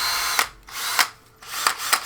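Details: Cordless drill running on owner-repaired power tool batteries that previously wouldn't charge: bursts of high, steady motor whir starting and stopping cleanly with the trigger; runs normally, though the batteries may be a little low on power.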